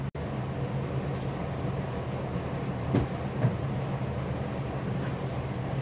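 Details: 2017-2019 Toyota Highlander just after spark plug and PCV valve replacement and throttle body clean, first start: steady, even idle with low smooth hum, no misses or ticking; normal idle.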